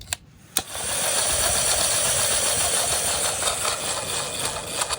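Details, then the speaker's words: Car's removed starter motor bench-tested on a battery; thin high whirring buzz that never builds to a strong spin, barely turning despite power; weak starter, brushes suspected; replaced with new starter. "That thing is barely even spinning and we got power to it. No, that was the problem. Probably the brushes inside of here."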